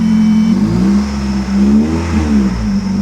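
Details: Salvage auction Ford Probe or Mitsubishi 3000GT, short rev at restart: steady engine note rising smoothly and settling back, even with no knocks; sounds good, though an exhaust leak is noted.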